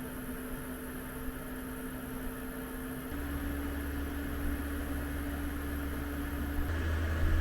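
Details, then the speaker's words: Espar D2 diesel heater in a van after atomizer screen replacement (about 530 hours since last service), ramping to full speed around 40°C: steady fan hum with burner roar stepping up twice as output climbs; normal running. "it's running full speed it's pretty much about the highest temperature that we'll get"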